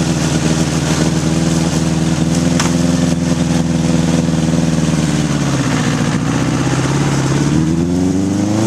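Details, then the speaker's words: 1981 Honda CB750 K1 four on test ride, partly on choke: pulls unevenly with faltering beat and sagging revs, bogging and stuttering; owner suspects vacuum leaks and carbs out of sync. "all right just things barely unrideable half that time I was riding with the choke on and it's bog and it's stuttering it's just not running right"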